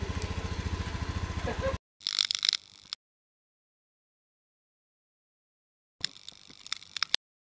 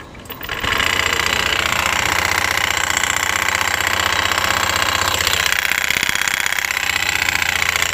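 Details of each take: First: Honda Beat FI scooter, idling after the drive-side (CVT) rollers were replaced: the coarse rattle heard before, already present at idle without throttle, is gone; brief, even, steady idle pulsing with no roughness or rattle, normal idle. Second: Honda Beat FI, reportedly repaired under a month ago, running with CVT cover off: harsh metallic clatter over steady high drone, rough even at idle; pointing to worn front pulley rollers rattling.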